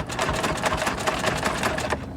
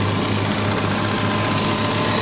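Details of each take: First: C6 Corvette Z06 at salvage auction: starter chugs fast and even, about seven beats a second, but it never fires; cranks, no start, possibly sucked up water as a suspected flood car. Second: Salvage-auction car with front-end damage: steady, even idle with a smooth low hum and no knocks, misses or hunting; normal, healthy idle.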